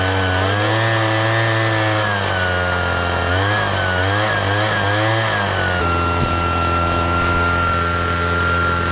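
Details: Husqvarna 435 X-Torq chainsaw, bought used after the owner quit because the chain kept popping off, idles after a few blips on a replacement part: steady, even two-stroke buzz settling into a clean stable idle, no hunting.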